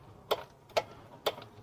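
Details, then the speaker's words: Yamaha Mio M3 125 scooter with rough engine sound, magneto removed and engine turned by hand at the fan: sharp evenly spaced clicking about two a second; slack cam chain from a broken cam chain tensioner. "Nah ada suara ceklek ceklek gitu bro Nah dengan tuh nah ini yang bikin kasar"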